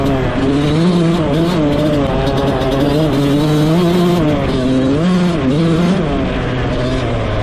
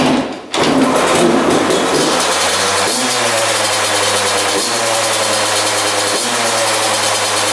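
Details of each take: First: Rebuilt 2001 Yamaha YZ125 two-stroke, ridden: revs climb and drop cleanly through the gears, no bogging in any gear; jetting spot on, air screw maybe slightly off, slight bog on takeoff only if clutched wrong. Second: 2001 Yamaha YZ125 two-stroke after top-end rebuild, new pipe, cleaned carb: steady raised buzz that won't settle after starting; high idle, owner thinks extremely loose intake manifold bolts let it suck in air.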